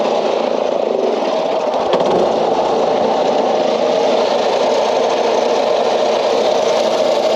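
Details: Old Craftsman LUV (Lawn Utility Vehicle) riding mower, non-runner revived, left loose as its vent was suspected plugged: small engine holds steady, even buzzing run without stumbles or dying; stays running and goes in gear; normal running.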